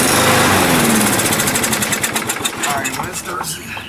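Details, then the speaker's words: Used 21-inch Murray push mower with its air filter missing, pull-started: fires hard, then coughs and sputters out instead of idling. A dirty carburetor needing cleaning is suspected. "I think it's definitely possibly a dirty carburetor. Pull it again. All right. Yeah, dirty. We gotta clean that carburetor out."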